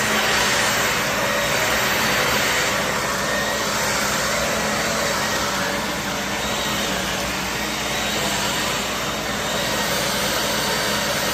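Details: Shark Navigator vacuum bought cheap, brush roll on: even, steady motor whine with the brush roll spinning smoothly, no rattles or pitch wander; normal running.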